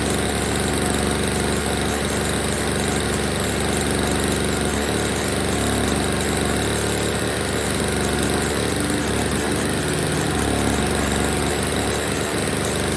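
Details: Old Snapper two-stroke snow blower, first start after storage with fresh oil-gas mix, before repair; steady, buzzy drone at even speed with no misfires, surging or knocking, though it's dumping gas from a leak: normal running.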